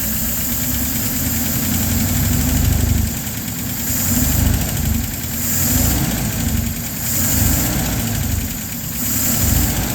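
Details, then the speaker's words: Hot LaSalle engine with choke closed a little: even idle, soft low rumble, no stumble, sounds pretty good and anti-percolation rods stop moving; runs fine with partial choke, while without choke it runs rough. "Sounds pretty good, and the perc rods aren't moving up and down either."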